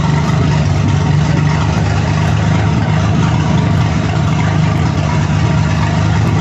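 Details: MerCruiser 4.3 boat engine ground-run on a stand in a garage without water supply, briefly: loud, steady low rumble with even beat, no knocks or ticks; a smooth healthy idle.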